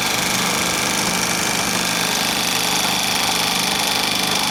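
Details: Bell & Howell 2575 16mm Filmosound projector running, cracked nylon lower-sprocket drive gear and worm gear: fast, loose ticking clatter about three per second over a busy mechanical whir, gear chattering in mesh.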